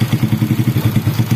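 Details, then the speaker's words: Honda Supra Grand motorcycle idling after replacing the cam chain and worn chain roller that caused rattling: even idle with steady low exhaust thump, no rattle, smooth again. "Nah kayak gini suaranya Udah halus kembali ya"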